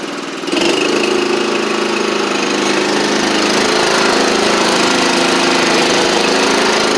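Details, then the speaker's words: John Deere LT150 mower engine running steady after startup, no knocks or misses, following exhaust gasket and nuts repair (previously had no exhaust) and new transmission belt; sounds as it should. "As y'all can hear, it sounds like it's supposed to, which is good."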